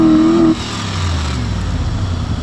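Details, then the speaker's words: Mercury Grand Marquis with a 4.6 V8 and 109,000 miles, already showing a little vibration and suspected of running on 7 cylinders: revved high, the note collapses and bogs, hesitating; some steam or smoke follows. "Revs to the moon. Oh, no. Didn't like that. Did not like it."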